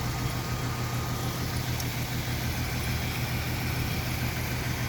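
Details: 1994 Mercury Cougar with suspected blown head gasket, white smoke and oil and coolant from the exhaust, a stuck engine freed by turning the crankshaft, owner believes a piston is damaged; low, uneven lumpy idle, not running cleanly.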